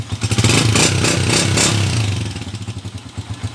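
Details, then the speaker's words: Honda TMX 155 single-cylinder motorcycle, stored over a year with a noisy engine, after the clutch-side (panggilid) conversion: revs briefly, then settles into a steady, very smooth idle. "paandarin muna natin yun oh napaka smooth"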